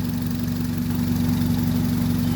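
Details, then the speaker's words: 2001 Honda Civic EX 1.7 four-cylinder after fixing a no-crank no-start by repairing a rusted, broken starter wire: smooth, even idle with a steady low hum and no misses, knocks or ticks. "this car was started all nice and good and after that it just stopped started and um so now it started as you can hear it running"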